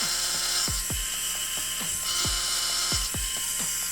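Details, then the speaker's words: Krytac Kriss Vector airsoft gearbox after a DSG upgrade with a new motor and Lonex Spyral kit: rapid cycling about four shots a second with a harsh, high gear whine. There is play at the motor. Motor gear mesh noise from poor motor shimming. "definitely needs some motor shimming. Yeah. Yeah. But generally sounds quite good."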